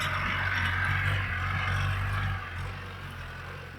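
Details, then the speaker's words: Land Rover Series 3 crawling over rough ground and rocks in a trial: loose clattering about four times a second over the diesel, a new rattle; possibly a shock absorber cover, not confirmed. "we definitely got a new rattle I'm not quite sure what that sounds like I'm sure there were some experts out there possibly a shock absorber cover tingling away"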